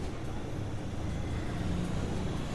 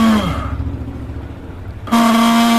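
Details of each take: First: Mixer grinder motor after bush replacement and refitting: a low, steady hum with no rattle, knock or scraping. It now runs smoothly and almost silently, where before the failed bush made it noisy. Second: Multi-speed mixer grinder motor switched on before repair: screams very loudly, winds down, then restarts with harsh high whine and hiss, caused by worn carbon brushes, fixed by replacing brushes.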